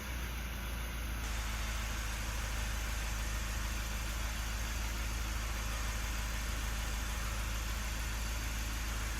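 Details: Mazda 3 after fitting a new brake vacuum pump for code P258B: smooth, even idle with a steady low hum, no knocks or misses, and the warning light has gone off.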